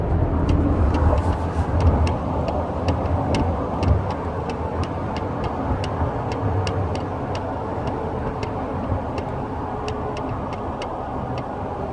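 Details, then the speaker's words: 2013 Toyota Tacoma double cab, engine running: sharp, uneven ticks and light rattles over a low engine hum, heard inside the cab on the driver side under the steering wheel; cause unknown. "my second gen Tacoma I had this weird rattling noise coming from underneath the inside of my cabin driver's side anybody has this rattling noise please help me out"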